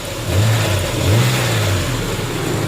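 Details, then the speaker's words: Nissan Xterra 3.3 after replacing injectors with used ones to fix a shaking engine: throttle blips rise and fall cleanly with a solid, even exhaust rumble and no puffing; running smooth and healthy. "sounds really good and go back here with the exhaust is you can hear it's a nice solid rumble you don't hear that puff puff puff sound so that's what you want to hear when you have a really good running engine"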